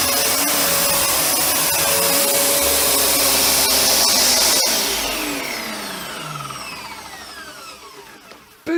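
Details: Panasonic MC-UG302 1900 W upright vacuum with new brushroll fitted after the old one seized: steady high motor whine, brushroll spinning smoothly, then even wind-down at switch-off; normal running.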